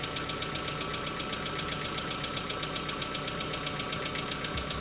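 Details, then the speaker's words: Hyundai Accent petrol engine cold start, about one minute after starting: sharp, even valve-gear tick about four times a second from hydraulic lifters, now recurring about five times instead of stopping after three to four minutes. "Если раньше стук длился три-четыре минуты, а затем прекращался, то теперь он стучит, прекращается и снова начинает нарастать. И это происходит примерно пять раз."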